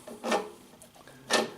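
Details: Craftsman snow thrower auger shaft turned by hand: two short gritty rasps from a rough auger bearing that failed after short use; fix is replacing the bearing, seated evenly and centered in its cup.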